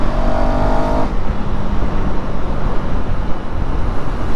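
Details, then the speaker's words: KTM Duke 390 while riding, around its third service; deep steady exhaust thump, quieter than before, with no rasp or leak; owner attributes reduced sound to zip ties and a possibly slightly cracked pipe, but says it sounds like any other 390; normal exhaust note. "Normal మన ఇంకో 390 sound ఎలా వస్తుందో same ఇది కూడా అట్లా sound వస్తుంది."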